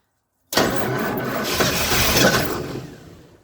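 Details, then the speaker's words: 1977 Ford F-250 Dentside 4WD, after sitting 15+ years, catches on a starting-fluid spray and runs ragged for about two seconds before fading out. It runs only on the fluid, so it isn't getting fuel. "in that can it's definitely trying this can's about empty son"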